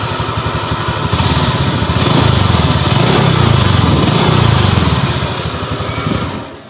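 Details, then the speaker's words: Honda Vario 125 LED scooter, just started after running out of oil and refilled with used oil, revs with a coarse rumbling growl swelling with revs and smokes; owner suspects worn piston. "motor ini kalau pertama kali dinyalakan bunyi kayak Rich di bagian mesin"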